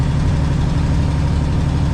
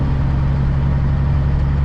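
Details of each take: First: Aerodyne cabover truck diesel, exhaust manifold gasket blew out: deep idle with loose ticking about four per second under the rumble, truck otherwise running; exhaust manifold gasket leak, first suspected turbo. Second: Aerodyne cabover truck recently fitted with a new air filter, on its first trip out of Ohio. Steady, even low diesel drone with no knocks or misses: normal engine running, sounds good.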